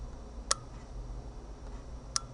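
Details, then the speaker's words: Tmezon video doorbell with monitor: two sharp single clicks about a second and a half apart in a quiet room, as a relay switches; normal operation. "so the relay for the the gate is in here and then the key is triggering triggering a relay in the camera itself so you can hear this clicking"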